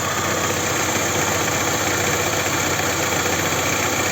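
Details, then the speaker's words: Toyota Camry 2.4 2AZ-FE on a cold morning idle: a busy, loose clatter and a faint uneven knock from low down, about three per second. Suspected balance shaft knock; the intake VVT-i sprocket also rattled briefly on the first cold start. "на Д не видимо балансировочный вал тоже стучит"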